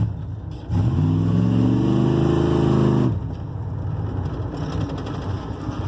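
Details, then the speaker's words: 1988 GMC Sierra barn find with replaced heads, accelerating on a straightaway: revs up two seconds then drops off abruptly, running rough and uneven as it cuts out; owner suspects it isn't getting enough gas, unconfirmed. "usually around this some of these curves I'm going faster it cuts out spitting sputters like it's not getting enough gas"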